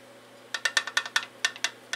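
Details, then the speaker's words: 1994 Briggs & Stratton Raptor 5 hp engine teardown: sharp irregular clacks, about a dozen in under two seconds, as the crank is rocked by hand. Excess connecting rod play; the engine needs a complete overhaul. "that's not good. I don't like when I hear the rod loose in this engine. This engine is going to need a complete overhaul."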